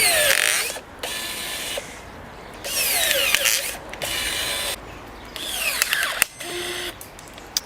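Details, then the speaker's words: Ozito battery pruner cutting near its rated 25 mm limit through a knot: whining cuts in bursts, pitch sagging as the blade bites, motor bogging and starting to struggle, though still stronger than the Ryobi. "We are on a sort of a knot there. So, that might be why. Yep. Starting to struggle now, too."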